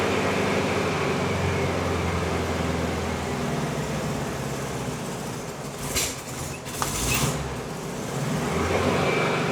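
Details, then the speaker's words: 1971 VW Bus air-cooled flat-four, which another shop said needed a new engine, running warm: a steady, even, smooth burble with no knocks or rattles; normal running. "Engine sounds healthy. Engine does not say seem like it cares."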